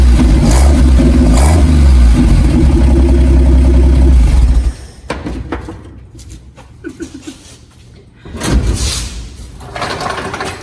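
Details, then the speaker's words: 1958 Ford F100 abandoned for 50 years, revived: old engine holds a steady, even low rumble for several seconds with no misses, knocks or rattles and no smoke, then shuts off cleanly; running well, not overheating. "She sounds so cute. I mean, if that don't pop your corn, what does, you know? There wasn't even no smoke."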